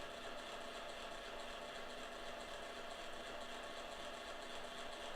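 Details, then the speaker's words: Kodak Advantix FD300 APS film drive loading a film cartridge: faint, unbroken buzz with a thin steady tone while film feeds, after crunchy, snapping, whipping sounds; source unclear, yet scanning worked. "has a kind of crunchy sound which doesn't sound right to me buzzing sound snapping sound whipping sound"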